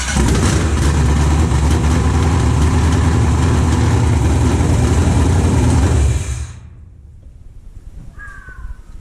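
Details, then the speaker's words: BMW E36 with LS V8 swap, headers fitted, first startup after install: strong even rumble for six seconds with fast steady firing, then cuts off cleanly; no leaks, everything works, normal start. "heck yeah just fired up this engine everything works good"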